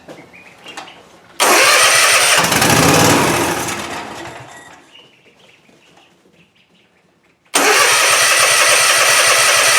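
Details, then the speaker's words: Cub Cadet Ultima ZT2 zero-turn mower, 60-inch deck, dry fuel system started on starting fluid with new filter: cranks, catches in a loud burst, then dies within seconds; no fuel delivery, fuel pump later found failed. "Oh yeah, I don't know why it's not getting fuel. I verified the functionality of this pump. It was working."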